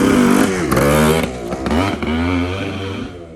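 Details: TC125 two-stroke dirt bike after carb clean, new fuel line and filter, spark plug swapped: revs freely with throttle blips and settles without stumbling or misfire; runs like a dream.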